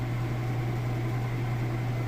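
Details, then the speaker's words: Like-new Maytag top-load washer on normal cycle with heavy jeans and towel load, final spin at full speed: steady even hum with no thumping, scraping or wobble, not off-balance; normal spin cycle. "all right and now we're full speed you can see it's nice and smooth"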